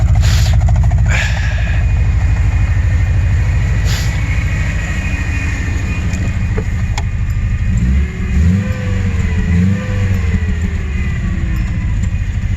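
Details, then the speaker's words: 1986 Subaru GL sedan, revived after a decade parked outside; carb engine idles and revs with a loud, raw, deep unmuffled rumble, running fairly well after initial no-start; muffler is blown out. "it moves it stops it has brakes the mufflers blown out but it sounds pretty freakin badass"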